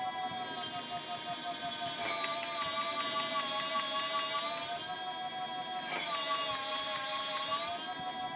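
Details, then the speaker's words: Golden Motor Magic Pie 2 hub motor with external controller on a stand, loaded by gloved hand at throttle: even electric whine sagging in pitch twice as wheel is held back, recovering smoothly; no grinding or clicking, healthy. "sounds pretty good to me I don't know let me know what you think"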